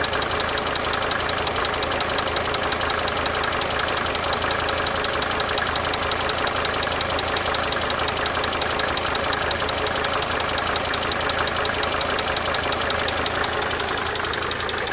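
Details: 1992 Mercedes-Benz 300D 2.5 turbo diesel idling for several minutes, brief talking at start; light, fairly regular ticking fading in and out over the steady idle: cyclic injector ticking at idle.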